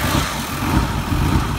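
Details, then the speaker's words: 2006 Mazda 6 with damaged throttle body pigtail harness after DIY repairs, gas pedal fully down, fuel smell: low heavy idle lumps and surges as if about to die but keeps running; rough, unstable idle. "now it sounds like it's about to sell out and die but it doesn't this will consistently run just as you hear and see it"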